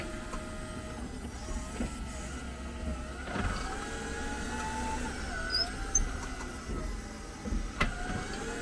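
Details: 2022 Jeep 4xe: thin, wavering high squeal with sharp chirps when reversing and braking or shifting into Park; dealer cleaned the brakes but noise remains; cause not pinned down.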